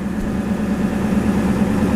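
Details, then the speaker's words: Powerstroke diesel on a cold ~12°F morning, e-brake on so it idles up (owner guesses about 1700–2000 rpm) for full ~14.3 V alternator charging: steady raised idle, even constant drone, no knocks; normal high idle. "but with the e-brake on it's also going to idle up so instead of being at 12 volts now what you're hearing is it idling up"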